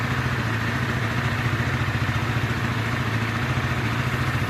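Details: Sonic motorcycle at 85,000 km, after crank bearing and balancer bearing replacement, engine cover off: busy, uneven clatter at idle, three to four beats a second; still rough, attributed to a worn, never-replaced cam chain, to be replaced.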